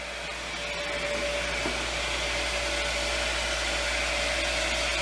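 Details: Lodge water-system pump, reinstalled after its frozen impellers were freed, after bleeding air through the hose faucet: even, steady whirring hum at constant pitch with no surging; running normally and building pressure, about another 40 psi.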